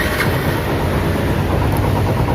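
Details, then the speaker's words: A rapid rattling knock over idle that follows engine speed on a Yamaha Spark 135i before repair. It sounds like the crankshaft; the connecting rod and big-end bearing were replaced and the piston upgraded to 58.5 mm. Diagnosis: worn big-end bearing knock. "อย่างนี้ได้จะเป็นเหมือนเสียงข้อเหวี่ยงนะครับครับเดี๋ยวเราจะพอดูครับครับ"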